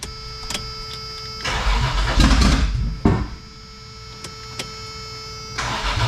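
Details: Toyota 4Runner 3VZ-E, first start after repairs for no compression on two cylinders, fuel rail pressurized, distributor possibly too far advanced: bursts of cranking with brief coughs, no run, hard start, cause unconfirmed.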